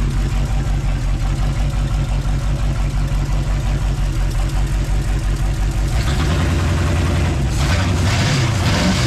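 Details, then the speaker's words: V8 in a scrapyard beater: lumpy idle and stumbling throttle snaps with backfire through the carburetor, caused by plug wires for cylinders 4 and 3 crossed (firing 1834 instead of 1843). "I had 1834 that was why it was banging out the carburetor and running like ass when you would snap the throttle"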